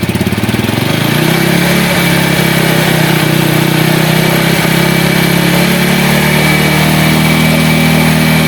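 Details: Yamaha Vega ZR/Jupiter single-cylinder motorcycle, final check after starter and charging-circuit checks, battery 12.5 V, revved to test charging: steady, even idle after starting, then pulls up cleanly when revved; smooth, no knocks.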